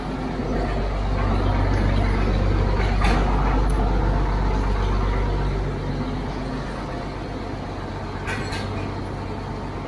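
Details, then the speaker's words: 1950s D6 dozer barn find, not started in years, started via its pony motor with a shot of ether: deep, steady diesel chug at about four beats a second, heavy and even with a couple of clanks; running smoothly. "Sounds good back there. Yeah. Wow. It's literally been years."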